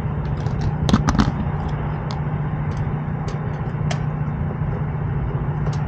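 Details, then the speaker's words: Lennox rooftop unit with no heat, 48 degrees outside: inducer motor drawing amps and looking toasty gives a low steady electrical hum with no spin-up or airflow amid handling clicks; seized, locked rotor, shaft won't turn by hand. "power yeah she's locked she's locked up as soon as I take the power away from it"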